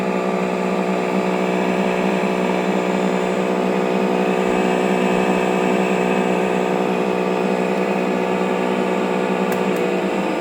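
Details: TruHone HR8 honer motor: steady hum with a faint, uneven knock about four per second, as if a bearing is worn; moisture possibly got past the weak HR84202 front cap seal and caused corrosion, suspected.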